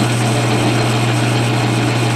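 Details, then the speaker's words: Lathe turning 1018 steel with a Seco carbide insert in a Shars tool holder, same depth of cut as the previous test. An even, steady low hum under cut with no chatter or squeal; it cuts smoothly with a decent finish. "it's doing perfectly fine that's doing perfectly fine it actually gave a pretty decent finish"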